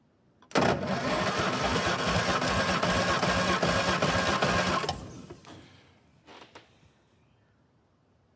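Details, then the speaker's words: 1958 Morris Minor pickup that sat for 20 years, cranking with spark plugs out during a compression test (readings around 150): fast, very even whirring crank near four beats a second with no firing; battery sounds like it is getting low. "So that battery sounds like it's getting a bit low."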